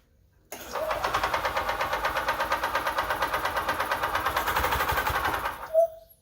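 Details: 1998 EZ-GO TXT gas golf cart engine, bought at auction as non-running, after repair: quick crank, catches and settles into an even single-cylinder putter about three beats a second, then shuts off cleanly; normal start and idle.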